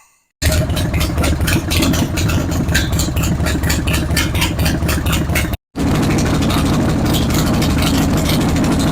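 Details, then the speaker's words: Harley-Davidson Road King V-twin idling after the severe-vibration fix; a sharp puffing tick on each firing pulse from a front exhaust leak, caused by the motor moving so much while it vibrated. "Not only that, it can cause other motor issues like we see here with the front exhaust leak from the motor moving so much."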